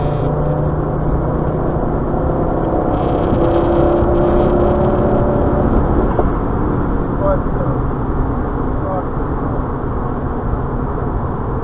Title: Misfire 2 and 3